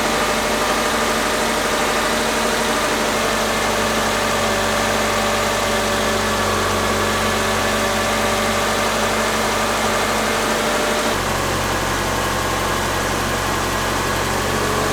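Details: Subaru Forester EJ2.5 engine, first start after reinstall, fuel primed, out of gear: steady even idle with fast smooth beat, no knocks or misses; fires and settles into clean run.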